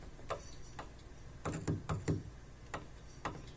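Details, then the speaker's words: 2007 Suzuki XL-7 right front power window, door motor removed and test light showing power and ground; motor gives dull irregular clicks without turning, tapping doesn't help; needs window motor, regulator or both. "so there's power and ground going to the motor the motor actually does make a click but I tried tapping on the motor and it doesn't make any difference"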